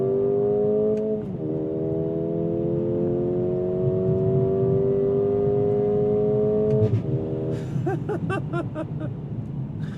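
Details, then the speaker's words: 2024 Mercedes-AMG CLA35, turbocharged 2.0-liter four-cylinder, 8-speed dual-clutch, manual paddle shift to 6,500 rpm redline: note climbs, drops sharply at the upshift, then about three thumping exhaust overrun pops a second; normal. "And you'll still get the thumping overrun if you're pulling the paddles yourself."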